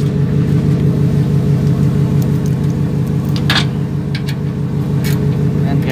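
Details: Ford Raptor with a cranking no-start complaint, fuel pump module discussed: it now idles with a steady, even, low rumble with no misses, knocks or surges, and no check engine light.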